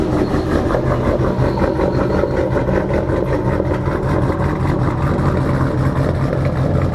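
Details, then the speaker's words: Ram truck Hemi V8 with an aftermarket cam, on the dyno with the stock tune reloaded; previously no chop and idle at 1000: loud, lumpy V8 idle with a steady loping beat, chopping as intended. "sounds like we're chopping thank you sounded pretty good right so we're already heading in the right direction on this"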